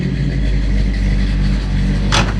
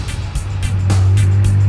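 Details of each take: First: Roadkill "Rampage" with a 454 big-block V8: a deep, full rumble that stays even and strong with no knocks or misses; sounds better than an old motorhome, healthy big block running normally. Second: Roadkill project truck overfilled with motor oil (about 15 quarts, oil drain needed, smoking) and still cold, with the alternator not charging: deep engine drone that grows louder without picking up pace as the secondaries kick in; bogging under throttle.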